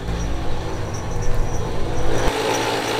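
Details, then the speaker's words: Ram 1500 Sport under drive load, slowly released off the brake: heavy, low rumble with irregular thumps roughly once a second. Driveline clunk, suspected front differential damage. "Okay, slowly let off. Yeah, that does not sound good. That sounds like the diff."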